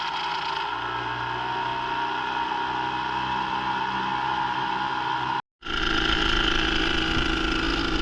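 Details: Brand-new Hangkai 3.5 HP two-stroke outboard running on 30:1 premix, just started after priming, idling in neutral: steady even buzzing note with no breaks; runs smoothly, normal running.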